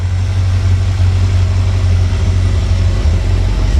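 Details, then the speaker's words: V8 engine pulled from the truck Creampuff, just started on a test stand with exhaust fitted. Steady, even low rumble with no misses, knocks or ticks; a smooth, healthy idle. "Of course, this motor Idle's real nice and smooth with the factory cam, I guess."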